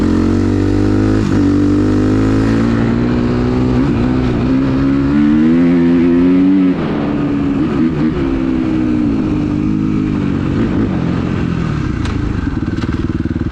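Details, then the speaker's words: Suzuki RMZ 250 with rebuilt Rekluse auto clutch, fixing a stalling problem: low-speed hard stop, rear brake locked sliding into a corner without using the clutch. Revs sag but the engine keeps chugging without stalling. "Came to a good stop here without using the clutch. Lock the brake up, slide into the corner. Same thing there, did not kill it."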